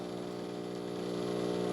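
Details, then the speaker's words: De'Longhi TrueBrew CAM51025MB shutting down after being switched off, rinsing by running water into the dirty-water tray over about 20–30 seconds. Steady buzzing pump hum with water moving through, even and unbroken; normal shutdown rinse. "anytime you open this up you'll hear water running it's kind of flushing out something and putting more water in the dirty water"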